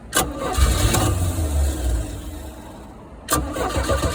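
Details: 1985 Dixie Bandit boat engine on its first start after sitting six years, after battery wiring repairs, with throttle worked by hand: it catches straight away, settles into a steady low rumble, stumbles briefly, then picks up; normal start.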